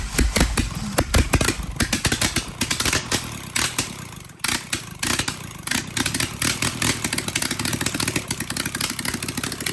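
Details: Willys F134 engine, started after sitting for years, fuel pressure regulator just fitted: uneven, choppy clatter with ragged bursts and no steady beat, rough and lumpy; too much fuel suspected.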